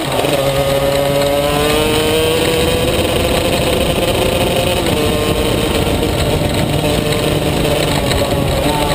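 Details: Maxter KZ2 two-stroke kart engine buzzing hard, revs wandering up and down without clean pickup under load; slipping clutch.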